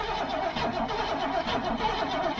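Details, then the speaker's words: Old gasoline GMC bucket truck, long positive battery cable (about 83 ft): starter turns over sluggishly and unevenly without catching; weak battery and cable resistance suspected, possibly hydrolocked; fuel bowls may be dry. Slow cranking. "might be sort of hydrolocked or something cuz it's not want to turn over much no sure ain't all right oh there you go that battery don't sound very tough does it"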